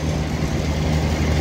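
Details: Commercial York HVAC unit, outdoor condenser fan motor failing; low, rough hum with uneven throb instead of clean spin; same unit has noisy refrigerant piping and a hunting TXV, low pressure jumping 59–68.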